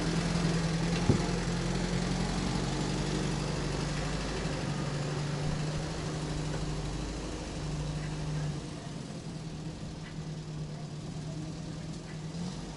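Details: UAZ 31512 engine revived after long storage, started with petrol primed into the carburetor; even steady low idle with smooth beat and no knocks or misses: normal idle.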